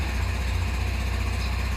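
Low, even single-cylinder putter at a steady idle with no misses, knocks or rattles: scooter engine running normally.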